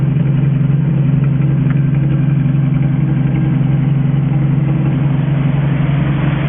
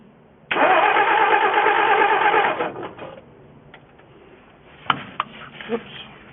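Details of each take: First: 1963 Ford F350 engine with Cherry Bomb muffler, first run in 20 years, coolant somewhat low: steady even low idle with unbroken beat, no knocks or misses; running good. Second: 1963 Ford F350 engine, first start attempt in 20 years, running from auxiliary nurse tank: about two seconds of even cranking, roughly three turns a second, no catch; fuel starvation from air bubble in fuel line and jammed carburetor vent.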